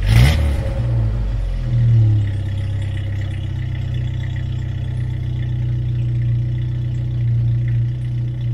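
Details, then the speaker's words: 1997 Jeep Wrangler just after installing a new 2.5-inch exhaust and muffler; quick rev then steady, even idle with a clean exhaust note and no rattle, a little louder than the previous muffler: normal idle. "i can tell you it's a little bit louder than it was with the other muffler i just took off it sounds good but it's a little bit louder"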